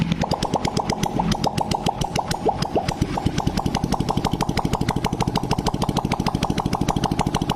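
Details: Honda Blade after cylinder boring and head reassembly, first start with exhaust off (oily muffler left off to avoid smoke): even, rapid popping about three per second, steady and smooth, no knocks; healthy idle, smoking fixed.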